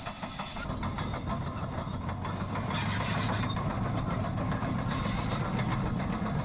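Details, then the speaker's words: Old Cat crawler dozer: loud, steady metallic squeal over its rumble from a track roller going bad; new rollers are on order to be changed. "And the old cat has got a roller going bad, so it's about to get loud when we get close to her. You can, I'm sure, hear it squealing now."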